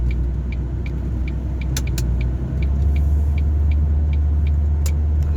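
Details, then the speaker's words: Ford Focus MK1 1.4/1.6 automatic, after a second-hand fuel rail and injectors were fitted for rich fuel trims, accelerating below 40 mph: a deep, even drone that pulls smoothly with no misfiring or flat spots. "is what you want nice and smooth taking the automatic no misfiring no flat spots"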